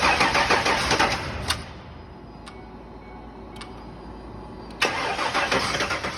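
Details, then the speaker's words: Ford Ranger on its first-ever start after engine installation; the engine had sat dry for a long time. Starter cranks in quick steady bursts twice but never catches. Crank, no start; it fired right up on the next try. "it was really trying wasn't it just couldn't get it done but that was just the very first time ever you know that engine's been dry for quite a while"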